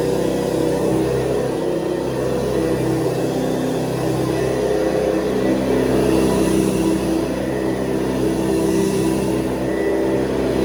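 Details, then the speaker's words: 1970s Hoover Convertible upright vacuum cleaner, newer model after a lower-humming one: steady, fairly high-pitched motor whir with even tone and no rattles or scraping; motor running normally. "Okay, so when you hear this one, you're going to hear the big difference in the sound of the motor, because we go from the sort of low humming motor of before to this sound of motor, which is a little bit more high sounding."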